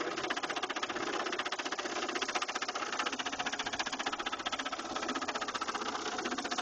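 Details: 2000 Saturn LS2 at idle: fast, even tapping, nearly four knocks a second, over the idle; engine knock that appeared suddenly, cause not found, owner fears it's a lost cause.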